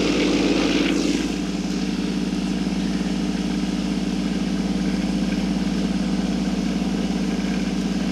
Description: The Harbor Freight tumbler made so much noise you can hardly hear me.